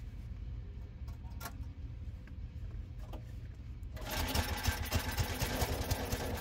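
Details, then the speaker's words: 4-cycle Troy-Bilt snow thrower that sat almost 2 years with a no-start, now started after priming and choke: engine settles into a steady, even run, picking up load as it throws snow; no misses or knocks, running fine. "The engine sounds like it's running well and is throwing snow."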